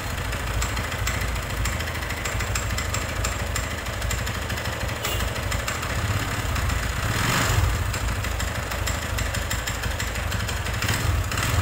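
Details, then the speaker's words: Megapro motorcycle engine: a hard, dry rattle at idle that turns harsh when the throttle is blipped. Suspected low oil or lubrication failure, with worn piston and connecting rod also suspected. "nah seperti itulah tadi ya suaranya ya teman-teman itu sangat kering sekali dan atos kedengarannya Nah untuk dugaan sementara kita mau menduganya ya ini di bagian pelumasan ini enggak ada ya artinya olinya itu tinggal sedikit"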